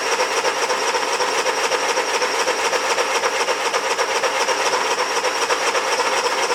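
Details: Honda 3000 generator, first start after draining old fuel, choke on: steady, even drone with a quick regular beat near four per second, no misses or surging.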